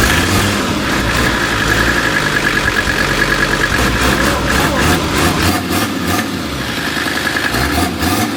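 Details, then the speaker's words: 1978 Mercedes 300CD after swapping in a 1984 OM617 turbo inline-five diesel with updated turbo and injection pump: diesel clatter settles into a steady idle after a brief rev, no knocks or misses; running fine. "well we finally got it in and got it running so so was pretty exciting finally it's in and it's run"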